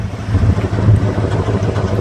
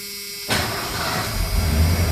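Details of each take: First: 1988 Ford F250, 5.8L 351 V8, sat two years, about 100 miles since service with new plugs, cap and rotor; low lumpy exhaust beat skipping at idle, dead miss; owner suspects a clogged fuel injector, before injector flush. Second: 1988 Ford F250, 5.8 L (351) V8 that had sat two years and was missing, after injector service: catches after a short crank and settles into a deep, slightly lumpy but steady rumble, much snappier; normal idle.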